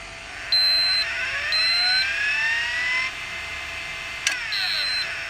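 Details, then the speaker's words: Sharp PC-4500/PC-4521 laptop hard drive: high whine sweeps up as the drive spins, chirps a few times, then winds down and stops; heads lock and arm stays stuck, suspected fault in the arm-release control; drive faulty. "problem is the heads seem to lock and won't unlock which is a bit of a problem then when you turn it on the arm's stuck"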